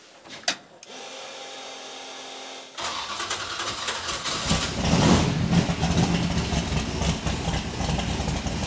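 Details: XC Falcon ute's methanol-carburetted twin-turbo 351 Cleveland V8 with newly fitted Haltech VMS, started in a closed shed; quiet, then catches into a strong even rumble climbing cleanly with throttle, no misses or knocks; normal start and revving.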